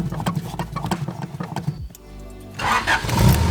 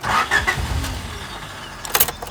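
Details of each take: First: 3rd-gen Honda Prelude after reactivating the newly installed fuel pump kill switch, following failed starts with the pump cut: brief crank, then it catches at once into a smooth steady idle; kill switch works. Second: 3rd gen Honda Prelude with a newly installed fuel pump kill switch engaged: brief starter churning that never catches, then clicks and quiet. The pump doesn't prime, so the engine cranks but won't start.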